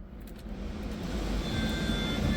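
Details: T1N Sprinter blower fan after blower motor resistor replacement: soft airy whoosh builds smoothly as the fan speeds up with no rattle or squeal; blower works again.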